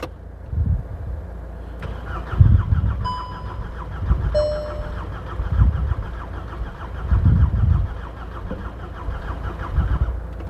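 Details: VW Golf GTI Mk6 with a weak battery, jump-assisted from a running van nearby: repeated cranking bursts catch briefly and stop; it won't keep running and the red oil pressure light comes on; owner suspects something was sprayed into the turbo inlet earlier, unconfirmed.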